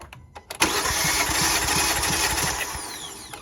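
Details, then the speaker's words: 2018 Kia Forte cranked with a compression gauge on an M12 fitting; starter spins evenly at about three beats per second, no dragging; cylinder reads about 180 psi and holds: normal cranking. "And then we're going to crank it up until it stops and see what compression this cylinder is on."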